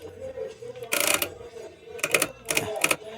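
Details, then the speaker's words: Italika CS 125 scooter engine, removed and partly disassembled, turned slowly by hand: bursts of sharp metallic clicking and rattling from the timing chain, which is visibly very slack; damaged valve, rings and chain tensioner also suspected. "lo que estoy viendo aquí es que bueno así a simple vista lo que veo es que la cadena ya está muy floja"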